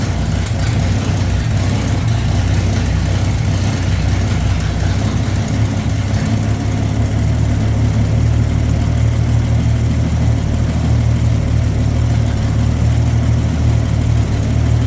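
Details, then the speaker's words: 1965 Mercury Comet Caliente that hadn't run in 10 years, after adding oil: deep, steady idle with an even beat, smoothing out once bumped from about 6 to 12; no misses or hunting, normal idle. "At 6, I bumped up to 12, you can hear it smooth right out."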